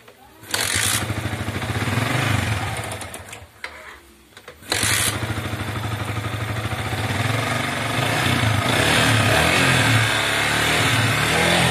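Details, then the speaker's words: Yamaha Vixion that sometimes stalls soon after starting and starts hard; here it starts after a brief crank and revs smoothly with no stumble; normal run at test, no MIL blink. "saya ini kalau sudah mati ini kadang suka hidupnya kadang langsung hidup terus ketika sudah hidup enggak lama lagi mati"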